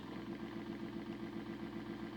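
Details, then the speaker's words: Small motor in a homemade DCC decoder tester at about 25% throttle drawing almost half an amp: low-speed whir with buzzy, uneven rattle under the hum, doesn't sound good; owner later suspects motor cooked and arcing, frying decoders. "so the motor is running as you can see i'm i'm drawing almost half an amp and i'm at about twenty five percent"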